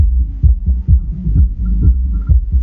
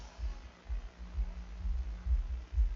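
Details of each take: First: Hifonics Brutus BXI 1606D car audio amplifier on the bench after inspection for shorts, powered with RCA music input: thumping sub bass with irregular crackly breakup on beats; amplifier output still crackling, cause unknown. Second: Hifonics Brutus BXI 1606D 1600 W mono class D car amplifier after cleaning (earlier crackled at 2.4 draw), power-on test: steady deep bass thumps about twice a second, no crackle, pops or hiss; playing normally.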